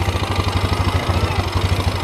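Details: Yamaha Xeon 125 carbureted scooter after piston replacement and radiator service, previously noisy tapping; steady even single-cylinder putter about nine beats a second, no knock or rattle; normal idle after repair.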